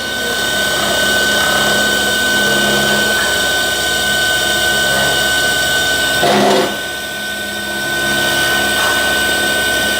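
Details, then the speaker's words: Newly installed 12-volt air conditioner compressor on first power-up test, drawing about 13–15 A: steady electric whir with constant high whine, sucking and building discharge pressure; runs normally, some vibration noise from mounting. "ये देखिए, ये section भी कर रहा है और साथ साथ डिस्चार्ज भी, प्रेशर भी बना रहा है। तो कंप्रेसर की आवाज़ आप सुन सकते हैं।"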